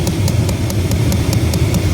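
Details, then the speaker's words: 1996 Chevy Silverado C1500 2WD with engine running, AC switched on: sharp regular ticks about five per second over a low engine rumble from the blend door actuator behind the dash; motor appears failed. "it's that little box right there it's your Blin door so I don't know what's going on with it but it seems the motor has gone bad"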